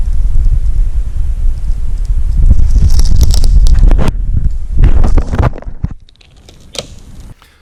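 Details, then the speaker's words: Original factory fire-sleeved fluid hose from the early 1970s (1971–1976 service life), nearly 50 years expired, flexed by hand: dry crackling and crunching bursts, uneven and sharp; brittle, leaking, no longer serviceable hose. "so ladies and gentlemen that's what a bad hose sounds like that's what it looks like"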